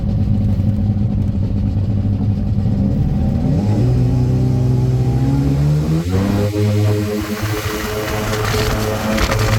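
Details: 1996 Sea-Doo Speedster two-stroke engines on a cruise after MPEM removal and rewiring; strong drone climbing cleanly as throttle opens and holding steady, no stumbling or misfire, running well.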